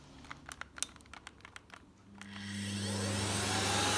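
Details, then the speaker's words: Miele Revolution 700 vacuum on carpet with suction set to 600: a few handling clicks, then a steady, even roar with a light whine the owner attributes to bearings; it otherwise runs normally and smoothly. "i've only gotten 600 because otherwise it sticks to the carpet and it works really well really smooth to use"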